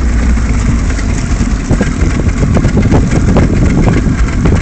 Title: 94/95 Mercury 75 (rough idle)